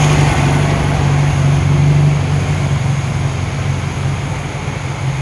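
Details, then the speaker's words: 1968 VW Karmann Ghia with a new 1600cc engine (replacing one with a spun main bearing), during cam break-in about 11 minutes in: a smooth, even fast-idle drone with no knocks or misses, running healthy. "it's running good right now gonna let her cool down we fire it basically I do thermal Cycles so it's sounding happy right"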